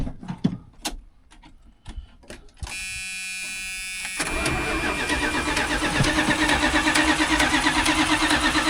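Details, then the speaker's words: Old Dodge 1-ton 4x4 crew cab, which has no brakes, just started: the V8 settles into a rough idle with a steady ticking slap. The fan is heard hitting something; what it hits is unknown. "Is that the fan making that noise? Yeah, the fan is hitting something. I don't know what it's hitting."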